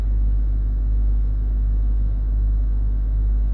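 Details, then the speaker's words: Range Rover L322 3.6 TDV8 Hitachi air suspension compressor refilling a fully deflated system, no errors, rear slightly low but raising slowly; deep even droning hum with slow steady pulse, no knocks or rattles, pumping normally. "No errors, the compressors still running the back end looks a little bit low but we are raising, we've got no rising slowly error which is a positive"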